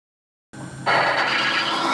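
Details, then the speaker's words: Timken bearing test rig under a 5 lb load, lubricated with M7 Gun Oil LPX: a harsh, rising scraping screech as the lube breaks down, smoking at around 3 seconds and significant bearing damage within 6 seconds. "it lasts a few seconds longer and starts smoking at around 3 seconds in 6 seconds the bearing was significantly damaged"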